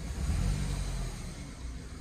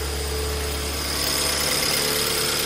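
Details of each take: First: 2008 BMW E90 318 idles rough with a lumpy, stumbling beat when injector 2 is switched off in a cylinder-cut test; the misfire was traced to a faulty injector and fixed by replacing it, with coils and plugs fitted 10,000 miles earlier. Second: 2008 BMW E90 318 after replacing faulty fuel injector with used one, just started cold with slightly high idle; steady idle hum under strong hiss, no stumble or misfire, running very smoothly: normal idle.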